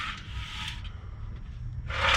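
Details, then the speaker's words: Honda Civic muffler removed and shaken by hand on the bench: loose gravelly rattle like rocks rolling inside; broken internal baffles loose in the muffler, pipe also blown out along a weld. "got another one right there and you can hear it sounds like rocks rolling around inside the muffler"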